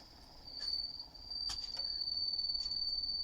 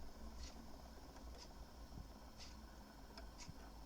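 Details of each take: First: HMV 102 gramophone motor at 78 rpm gives a thin, steady high whistle that is absent at lower speeds; the owner suspects the leather friction pad on the speed governor rubbing. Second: HMV 102 gramophone spring motor at 78 rpm, after repair of a whistle and readjustment on the deck, running almost silently with a faint low hum under a wall clock's ticking.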